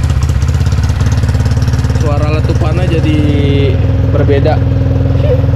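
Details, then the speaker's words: Motorcycle after swapping high-lift camshaft for stock camshaft, re-ported head with stock valves: even exhaust pulses at steady idle, no choppy misfiring or high-lift cam noise; smooth, normal idle. "nah kelihat kedengaran ya suaranya jadi suara standar tuh dari suara klepnya juga jadi halus mesinnya gak ada suara apa gak ada suara nokenas yang Lif tinggi"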